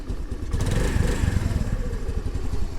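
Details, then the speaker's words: 2022 Honda Navi 110cc carbureted scooter on a cold start, idle slightly higher once warm. A slow, uneven low chuffing with the lights on, then it stalls; the idle is set too low and may need bumping up: rough low idle. "it does okay but the idle thing with the lights is still a problem no matter what oh it died oh fail navi fail"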